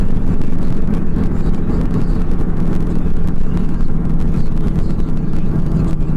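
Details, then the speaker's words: 2005 Honda Pilot with 294,000 miles driving over rough farm road after repair: only steady road rumble, the clunk from behind the passenger rear seat over bumps is gone; suspension sounds normal. "it's definitely gone so that's good"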